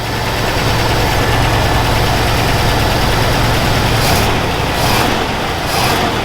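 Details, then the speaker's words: Buick estate car off the road about 13 years since 2009, idling while warming up and not revved hard: steady, even low rumble with no misses or knocks; the engine is idling smoothly. "she's running nice and smooth though it's uh i don't want to rev her anything too hard i just kind of want to see what she does"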